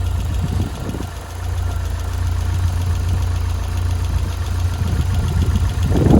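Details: Elise K Series engine at idle: a low drone with a faint, roughly regular tick about three per second; source undetermined.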